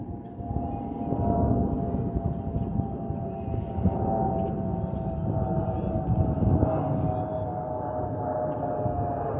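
Steady cabin roar with a thin, wavering siren-like whistle on top; the harmless vent whistle these jets make in flight.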